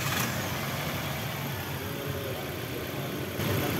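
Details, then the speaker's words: Nissan X-Trail petrol engine idling after the drive belt was replaced: a steady, low, even hum with no belt squeal or chirp; the belt had been noisy and rough before. "Yung bala bang may gumagawi siya sa drive belt pero ngayon okay na siya"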